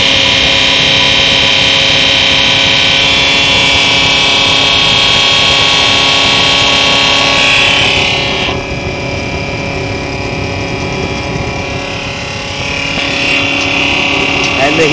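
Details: US military multi-fuel 15,000 BTU heater, new: a loud, steady high-pitched hiss and hum with an even drone; the compressor is very noisy but the heater runs normally.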